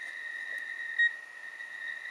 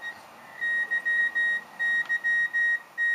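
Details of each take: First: 40-metre Rockmite 51 clone CW transceiver keyed at 7.025 MHz, heard on an SDR receiver; pressing the key gives one short high beep then a faint steady whine, no continuous tone; owner suspects an earlier short damaged the chip. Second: Rockmite51 clone 40 m CW transceiver transmitting its memory message, received on SDRplay tuned to 7.025 MHz CW: clean high tone keyed in Morse dots and dashes, no chirp or drift; normal CW transmission.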